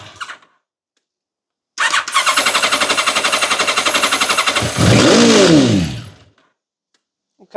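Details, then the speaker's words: 1989 Kawasaki ZX-10 abandoned 10 years: cranks, fires seemingly on all four, runs about three seconds, revs once, then dies; compression and spark present, fuel delivery problem, owner suspects clogged carburetors. "So, it does fire and kind of run. So, that's good. We've got some sort of compression and we've got spark."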